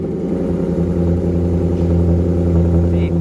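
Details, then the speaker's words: High-mileage Maserati starting up: a deep, strong exhaust bark climbs and holds evenly with no rattle or miss. A healthy engine pulling cleanly. "No matter how expensive the repairs are or what's wrong with it, one turn of the key and you hear that bark, and all is forgiven."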